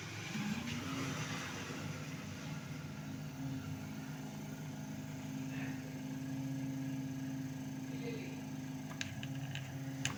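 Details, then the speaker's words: Scrap-shop 6 V rechargeable fan motor, before conversion to a 12 V solar fan, bench-tested on a 6 V power supply. Brief rising whir as it spins up, then a steady even hum with no knocks or scraping; it rotates and the motor is in good condition. "Work ஆகுதுங்க. Rotate ஆகுது 6 வோல்ட்டில். அப்போ motor condition நல்லா இருக்குது."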